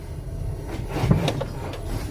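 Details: Ford Fiesta Rocam going over a speed bump: short, sharp creaks through a low rolling rumble, traced to a worn lower control arm bushing where it meets the subframe.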